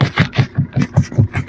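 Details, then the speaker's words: Maruti Suzuki Brezza, engine idling while steering is turned side to side: steady train of dull low clunks about five a second; worn steering rack knock, fixed by replacing the steering box assembly. "കണ്ടോ steering തിരിക്കുന്ന സമയത്ത് നല്ല sound"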